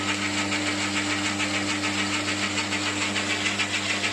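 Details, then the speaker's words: New 1 hp lathe motor fitted in place of a 1/4 hp motor thought to have gone bearings: steady, constant electric hum without rumble or grinding; sounds a lot clearer, normal healthy running. "so that's a quarter horsepower motor on there and what I've got that's a one horsepower so it's a little bit more powerful"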